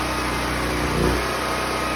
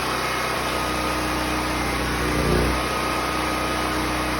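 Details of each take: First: Predator 6500 watt portable generator running at an even steady speed with no load during cool-down, no stumbling or sputter yet; fuel supply just shut off before shutdown. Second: Predator 6500 W portable generator, unloaded, fuel supply shut off after cooling down: steady drone, then brief surges and stumbles as it starves of fuel before shutdown.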